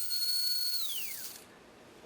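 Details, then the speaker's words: Tyco 440x2 slot car with 2.8 ohm dynamically balanced armature, Pro-8 motor magnets, Pro-10 traction magnets, Wizzard electricals, 7/23 rear end, tested without a body; piercing steady whine near 4 kHz that glides down, almost too fast; normal high-speed run. "and I'm telling you what, this one here, when it gets lit, it does. It's almost too fast."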